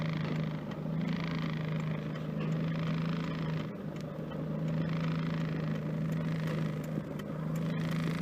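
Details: 1992 Mitsubishi Lancer GTi with newly installed MAF sensor, rough idle and power loss fixed: warm engine at normal operating temperature idles with a steady, smooth low hum.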